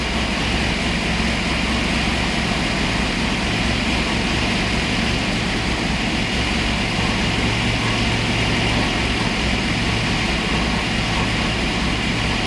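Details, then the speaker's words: Boss 429-style Hemi-headed 429 stroker Windsor Ford V8 on dyno, 93 octane pump gas, initial run-in: smooth even deep roar with no misses, ticks or knocks; no leaks, healthy run. "i don't know how well you can hear this but this sounds like music so all right so we just did the initial run in no leaks which is a good thing"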